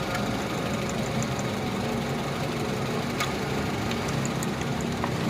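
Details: Honda Civic that was misfiring and using extra fuel, after a faulty ignition coil was replaced with a new one: engine idles with a steady, even low rumble and light valve ticking on top.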